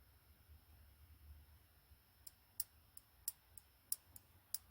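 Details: LG stand-type electric heater during PCB repair, with 12 V fed from a battery instead of the remote or button: crisp, dry clicks in a quiet room each time power is applied, so the relay contacts close properly and it works.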